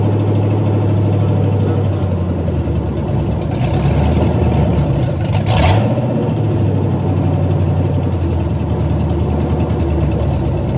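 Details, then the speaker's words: 1985 Mustang GT factory 5.0 (302) V8, 5-speed, probably stock cam, first start in about 20 years: revs up and settles smoothly with a deep, even note, no valvetrain noise and a little smoke from the headers. Normal running. "Sounds good. Yeah, I think that is a stock cam. I wouldn't doubt it. But even the stock cams on the high output 5.0s were good and torquey."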